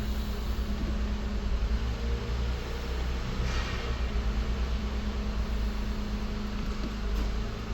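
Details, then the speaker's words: Jeep Wrangler 3.6 Pentastar with ZF 8HP50 transmission during a fluid service, warm day, cycling through the gears: steady idle hum that dips slightly as drive engages and the engine loads up, no clunk or whine; normal transmission engagement. "Neutral drive again. We can hear the RPM change. Can feel the engine load up."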